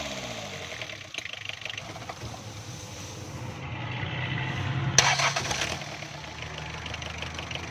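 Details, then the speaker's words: Diesel engine after injection pump timing retarded to cure long cranking and weak pickup under load: brief crank, catches cleanly and settles into even diesel clatter at idle; starting now fine. "Starting में गाड़ी बिल्कुल सही हो गई है दोस्तों।"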